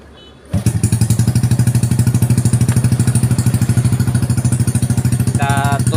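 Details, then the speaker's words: Motorcycle whose engine was rebuilt with non-original parts, gone rough and ticking from the head months later, after valve clearance adjustment, heard at exhaust with throttle: catches straight away, even steady idle, no head ticking; much smoother than before adjustment. "jauh banget ya perbedaan suaranya dari yang sebelum disetel dan sekarang sudah disetel"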